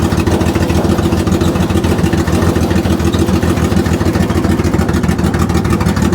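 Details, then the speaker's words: Ford Barra speedway car on a 350 Holley carburetor fitted to the factory intake: steady but uneven, lumpy engine beat at about 3.5 pulses a second, running rough; plug wires checked, needs tuning. "Ah, that was awesome. Um, you can probably tell it's running like a hairy goat."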